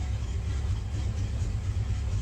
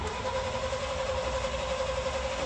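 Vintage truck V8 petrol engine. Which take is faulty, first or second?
second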